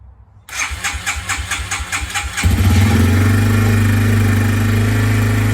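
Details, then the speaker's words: 2003 Yamaha TT-R 225 after a no-spark repair replacing the stator, ignition coil, plug cap and spark plug: quick cranking pulses, then it fires right up into a steady single-cylinder idle, a little cold-blooded. "so she runs all right guys so we finally got the bike all back together and as you can hear the thing fired right up it's a little cold bloody which is to be expected from these ttrs"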